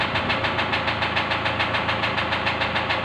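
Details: Engine at a steady idle with an even, sharp tick at about three and a half per second riding over it. The knocking is suspected to come from an injector and is being checked; the cause is not confirmed.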